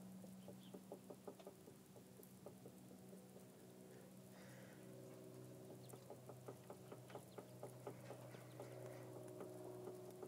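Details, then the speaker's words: Jeep at idle with the steering wheel worked back and forth: sharp, uneven pops and clicks about two a second; owner suspects the small steering shaft. "I get a popping sound kind of want to turn my wheel back and forth and uh I think uh this little steering shaft might be the culprit"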